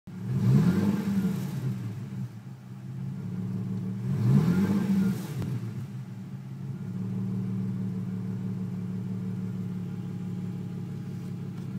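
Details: Nissan 350Z petrol engine runs fine until it reaches operating temperature, then blipped twice and idles with a lumpy, uneven rumble of a misfire; check engine light on after an earlier start without the intake fitted.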